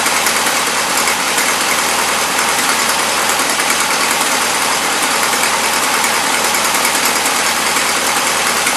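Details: 1977 Toyota Celica, Weber carburetor: loud, rough, steady run with a dense roar and no clear misfire beat; carb loading up rich; no blow-by or smoke, small exhaust leak.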